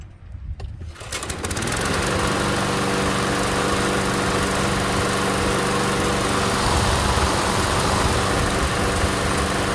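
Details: Briggs & Stratton Quantum push mower after pull rope repair, primed: a few pulls, then the engine catches and settles into an even, steady run with no misses or knocks; sounds healthy.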